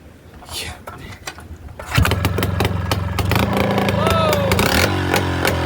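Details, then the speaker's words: Kawasaki 440cc snowmobile two-stroke swapped into a Polaris Trail Boss 250 ATV, first start-up on a straight pipe: catches after a short crank, loud crackly ring-ding, revs hanging and settling; runs clean and strong, though the engine wiggles on its mounts. "that's sounds that sounded really good I don't like how much the engine was wiggling around but you got to deal with it why do two strokes sound so gosh darn good straight piped"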